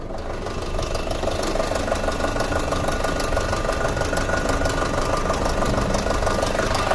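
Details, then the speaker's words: 2006 Audi A4 2.0T, long-sitting, codes P0300/P0303 cylinder 3 misfire, heard at idle under the hood: rough metallic metal-on-metal knock about three a second with an uneven stumbling beat; a bad fuel injector is suspected. "That has like a distinct metal on metal sound."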